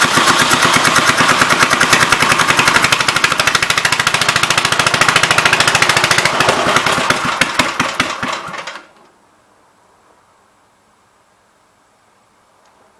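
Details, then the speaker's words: 1958 Gravely LI tractor, no exhaust fitted, carburetor main jet lacking T-handle adjustment, leaking fuel line: sharp even cracks about 200 a minute with raw bark for eight seconds, then shutdown; oil filter found holed. "One is no exhaust."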